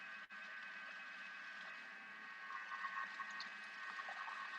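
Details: Food processor whipping fresh cream into butter: steady motor hum with wet sloshing and a light rattle as the cream thickens; running evenly without strain, normal.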